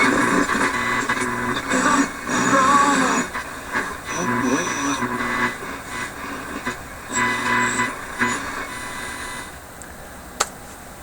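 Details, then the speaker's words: Philips 922 vacuum tube radio after capacitor replacement: station plays cleanly with steady audio, no crackle, hum or dropouts; earlier noise and intermittent operation likely from a failing capacitor, normal reception. "oh I hear a radio very faintly this radio is working"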